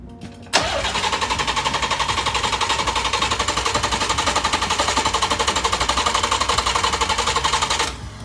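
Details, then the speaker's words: 1990 Nissan 300ZX after replacing sliced fuel lines and a new battery harness, start attempt: cranks, catches and settles into a lumpy, uneven pulse; running rough. "but obviously this is letting in air after the maf and the map measures the air coming into your engine so if it doesn't know how much air is coming in it's of course going to run like crap"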